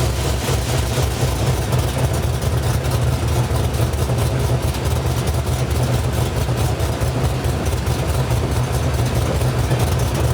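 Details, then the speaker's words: Mildly cammed V8 (216/220 .550 114 LSA) tuned for cam chop: fuel trims and idle air dialed in, base idle timing about 18°, ±12° idle timing corrections; deep loping idle rising and falling in steady rhythmic chop, no misfires; normal. "so what that does is it gives the idol basically that heartbeat that cammed um here this is my my uh timing table that up and down up and down that's literally the chop of the cam"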